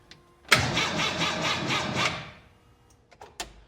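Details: 1923 Ford Model TT hot rod truck, not run in 10–14 years, with new starter, confirmed spark and sour gas drained: starter churns about 1.5 s with lumpy, uneven beats, engine doesn't catch; cause suspected, not confirmed.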